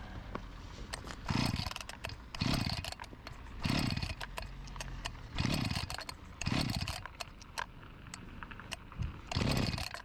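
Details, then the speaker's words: Husqvarna 254 G chainsaw with spark confirmed and plug OK, fuel poured straight into the cylinder: short bursts of firing every couple of seconds that die straight away. Runs only on primed fuel; owner guesses a carburettor fault, not confirmed. "It lives That’s a good sign - I would guess it’s just a carb job"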